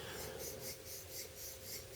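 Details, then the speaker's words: New BL06 folding knife, stiff out of the box: dry gritty rasp as the blade slides open. The likely cause is a factory lack of lubrication or grit in the pivot, fixed with light oil, pivot tension adjustment or cleaning. "But there, sort of dry, sort of rasp as it slides open."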